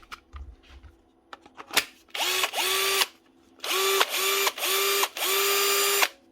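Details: Bosch GSB 18-2-Li cordless drill after motor replacement: five quick trigger pulls, each spinning up sharply to a strong, steady whine and stopping cleanly on the brake; motor runs healthy with much more power.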